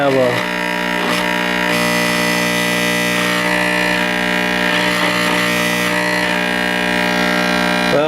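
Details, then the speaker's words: 1949 Motorola 58R11 AA5 tube radio after replacing the open 50B5 output tube: loud steady low buzz even at zero volume, faint signal on top; bad filter capacitor. "the volume all the way down we still have a really loud buzz so that tells me if the audio out excuse me it tells me it's the uh filter capacitor that's gone bad"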